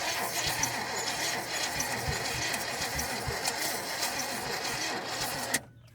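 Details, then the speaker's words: 1972 GMC truck after sitting 30+ years, vacuum leaks plugged: starter spins engine evenly and rapidly with no firing, then cuts off; owner believes ignition timing is 180 degrees out. "Well, it ain't even trying. No, sir. Well, here's the deal, fellers. I think we're 180 out on our timing."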